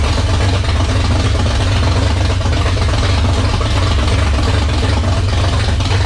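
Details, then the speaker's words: 1978 Dodge D100/D150 Warlock truck, 360 small block stroker V8, first start after install with high-volume oil pump: deep, even rumble at idle and revving, no knocks or ticks, 75 psi oil pressure at idle, over 80 revving; sounds healthy. "oh that was pretty impressive that thing sounded great"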